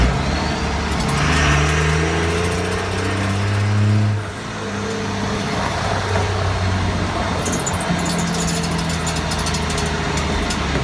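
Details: 2001 Ram 2500 5.9L 24v Cummins HO diesel with NV5600 6-speed, owner hears a weird ticking seemingly from the rear end: faint, uneven light tick about four per second over a steady diesel rumble, source unclear.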